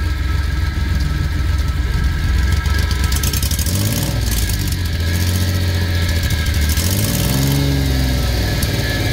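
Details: Suzuki F6A three-cylinder revving up and settling repeatedly with a rough, raspy exhaust note; abnormal exhaust noise, source still being searched for.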